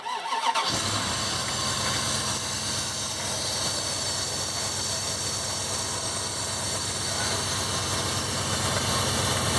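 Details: 2001 Dodge Ram 1500 5.9L, cold start after replacing the idler pulley, whose bearings were failing: the engine catches, then a steady harsh grinding rasp rides over the idle; another pulley is suspected, not confirmed.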